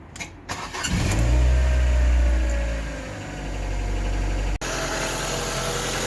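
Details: Ford Focus MK1 1.4/1.6 petrol after swapping in a second-hand fuel injection rail for rich fuel trims, started cold in freezing weather: cranks briefly, catches cleanly, steady even idle. Injectors not leaking; normal start and idle.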